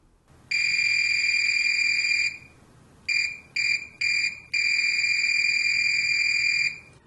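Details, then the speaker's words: Fluke 189 multimeter, discontinued, new old stock, continuity test with Probe Master gold-plated silicone leads: high shrill beep in long and short bursts with a warbling tweedle that sounds unlatched, though probably latched; beeper working normally. "wow that buzzer sounds really strange makes it sound like it's not latched but I think it is latched it just has this weird Tweedle to it I don't like that"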